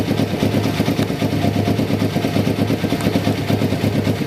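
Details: 1993 Kawasaki Vulcan EN500 twin, reed/air suction valve removed, carbs just installed and synchronized, fuel-air mixture not yet tuned: settles into a steady even idle with soft regular thump, no knocking or rattling; runs fine.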